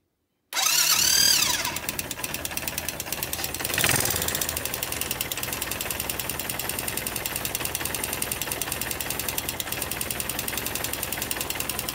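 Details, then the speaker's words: 250cc Jiangshe air-cooled ATV after rocker/valve clearance adjustment: starts, then a quick light metallic tick about three a second over idle, weaker than before; no longer from rockers, chain tensioner or transmission suspected. "Ok, that's about it, the sound is still there, although weaker, we can still hear the metal, but it's not coming from the swing arms anymore."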